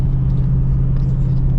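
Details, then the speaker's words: Jeep Grand Cherokee WJ 4.7 V8 after engine rebuild with collected parts, accelerating at 50 mph; deep even rumble, no misses or knocks, exhaust slightly raspier, old acceleration resonance gone, drives smoothly. "Honestly, doesn't really feel much different there on takeoff. The exhaust note is different though. It's a little raspier or something."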